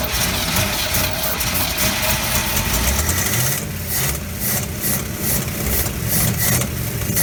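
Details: 1957 GMC 370 2-ton truck, original Pontiac 347 revived after 20 years seized, 6625 miles: lumpy uneven idle with irregular low thumps on fuel poured into carburetor, smoky burning off diesel and penetrating oil; owner unsure all cylinders fire.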